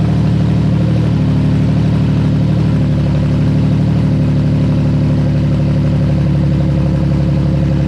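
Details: VQ35DE swapped into an S13 240SX, first start after a refresh with new bearings, gaskets, rings and seals: smooth steady idle with an even low hum and no knocks, ticks or stumbles, normal idle.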